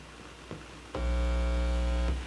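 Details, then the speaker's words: Heathkit AA-100 amplifier after rebuild with new caps and bias board, signal-injection test at last right-channel preamp stage: steady clean mains hum from right speaker, confirming power amp, transformers and later circuits work. "okay that's good so we know that everything from the power amplifier through the Transformers all the circuits everything up to here is working correctly"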